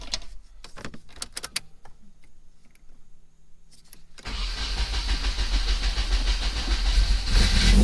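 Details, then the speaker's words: 1994 Nissan 240SX convertible after the firing order was rechecked and a loose distributor cap found: cranking ticks, then the engine catches into an uneven, lumpy run with hissy air noise; two vacuum leaks are making it run rough. "It had like a mist or something, but this right here was a vacuum leak. And then this right here was a vacuum leak."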